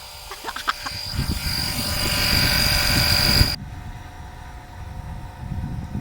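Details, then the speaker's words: Pump drawing out engine oil during a DIY oil change. The hum starts low, then climbs steadily louder and gains a high whine near the end as less oil remains. The pickup is starting to suck air before cutting off. "Alors là, vers la fin, le bruit augmente. Au début, le bruit il est beaucoup plus, le bruit de la pompe est beaucoup plus bas. Puis là, ça dit... Donc en fait, ça vient du fait qu'il y a moins d'huile."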